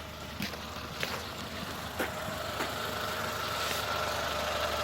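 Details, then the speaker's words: 2014 Renault Logan with the steering turned left: a thin squeak with creaks and light grinding from a ball joint dry of grease; the joint is otherwise sound and needs lubricating, not replacing. "данный звук издает шаровая опора то здесь проблема та же самая закончилась маска шаровые опоры"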